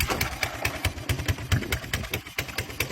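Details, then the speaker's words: 1982 Honda ATC 200cc three-wheeler after sitting about 10 years, idling in gear: uneven slapping knocks about twice a second over a rough single-cylinder idle; owner suspects the clutch dragging, not the chain; oil leaks when in gear. "That's not the chain. I thought it was a chain at first, but it's not the chain. It's It's that clutch inside there, I guess."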